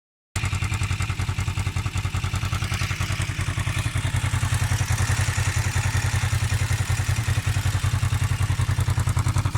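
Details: Kawasaki EX500 twin-cylinder motorcycle idling with a steady light ticking clatter over its low thump; valve clearance already adjusted without helping, cause still undetermined.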